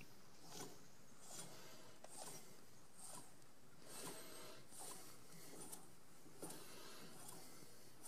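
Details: VW Golf Mk4 TDI, newly replaced front wheel bearing after the rusty old one made a racket: quiet, even spin with only a faint soft tick at each hand push, no grinding or rumble; bearing runs free and healthy.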